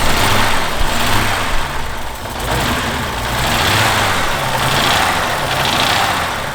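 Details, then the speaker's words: 1989 BMW 325is E30, first start at inspection with fluids missing and a temporary hookup: catches and settles into a steady, fairly even idle with a light hiss and no knocks. Normal idle, shut off quickly. "Let's see. Whoa! Guys, it's on. She's alive. She's alive."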